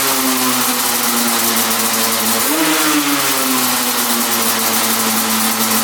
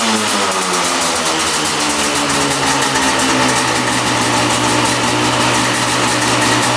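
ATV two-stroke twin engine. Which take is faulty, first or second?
first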